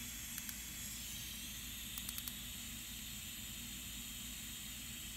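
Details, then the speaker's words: Turbo diverter valve bench-tested at only 10 psi, adjustment screwed all the way tight: faint steady airy hiss unchanged in pitch, bad air leak past the valve. "Only 10 psi of pressure, and we got a very bad leak. You can hear it leaking out through here."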